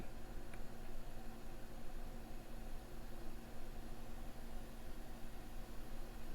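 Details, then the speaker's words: MacBook Air A1466 after liquid-damage no-power repair, booting with keyboard and trackpad disconnected: a steady, fairly loud whoosh as the cooling fan ramps up fast, possibly from missing sensor readings (not confirmed). "now that fan sounds like it's running a little fast i'm not sure if that's going to be a sensor problem or not but yeah it's ramping up pretty good"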